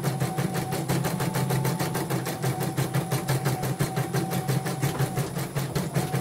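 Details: Portable embroidery machine (came in blank screen, dead touchscreen, hoop not positioning, unable to embroider) test-stitching after mainboard replacement: even stitching beat about three per second with a light whir, no grinding; slight squeak after oiling is normal; normal stitching.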